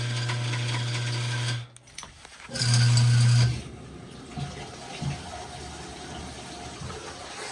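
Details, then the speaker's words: GE top-load washer GTW220ACK, filled with water, service mode test 15 (agitate): a loud, low buzzing hum in two bursts, then a rough rumble with water sloshing. The drive belt is shredded and the speed sensor destroyed. The washer won't spin. "Definitely noisy. Let's drain it."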